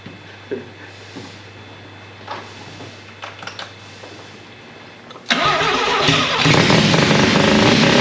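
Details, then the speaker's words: Mazda RX4 with newly fitted 13B rotary engine, carburettor and fresh battery, first start: several seconds of cranking, then it catches and revs harsh and uneven, misfiring on one rotor; coil or plug suspected. "one rotor didn't sound he's um coil plug"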